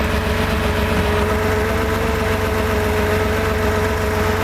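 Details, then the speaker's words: Freshly rebuilt Porsche 2.7 L engine with CIS fuel injection, first days after startup: high, rough, lumpy idle with an irregular stumble and partial misfire popping in the exhaust, worse when mixture leaned; misfire located on cylinder 2 by cracking fuel distributor lines. "those problems were a high idle we had a rough idle as well with a partial misfire popping in the exhaust"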